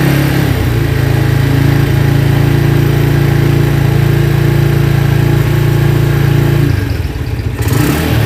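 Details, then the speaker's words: Honda Tiger single that smokes when cold and lacks power: lumpy idle pulsing about three times a second with rough clatter from the cylinder head. It resembles piston slap; the valvetrain ticks because the rocker arms are loose. "bisa kita dengarkan bahwa tadi di bagian kop sini itu terjadi bunyi kasar kemlitik dan ada bunyi terklik seperti itu mirip banget apabila teman hmm pernah mendengarkan dari piston yang baret ataupun ngeplek istilahnya seperti itu mirip banget"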